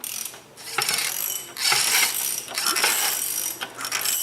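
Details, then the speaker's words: 2014 VW Polo 1.6, 34,000 km, engine running. Raspy chirping about once a second from the accessory belt that stops and returns as the tensioner is worked. Belt is heavily contaminated. Tensioner/pulley suspected; water pump also noisy. Cause unconfirmed. "mas ela é famosa por fazer barulho né pode ir além olha o barulho"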